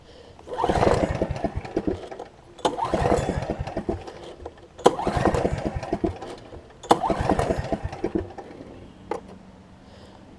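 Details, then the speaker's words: Snapper 28-inch rear engine rider mower, choke pulled out, possibly in reverse, ran moments earlier, owner suspects flooding: four cranking bursts of about two seconds, turning over but never catching; no-start, cause unclear. "let's see so that's in that's choke in that's choked out might have flooded it I'll tell you what I figure out why it's not gonna crank for me"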